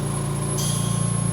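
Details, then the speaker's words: VMUS-DG1 double-quartz corona-cell ozone generator fed oxygen, at 50% output: a steady high-pitched buzz over a low even hum with no crackle or flutter. This is normal corona discharge buzz. "This high pitch of buzzing is completely normal and nothing to be worried about while using your ozone generator."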